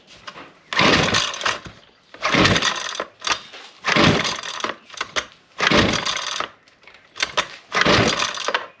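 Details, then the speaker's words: Husqvarna 128LD string trimmer that only ran with choke on, good compression: repeated pull-cord cranks about every second and a half with no firing at all; cracked fuel lines sucking air prevent starting, filter also dirty. "It's not firing a lick."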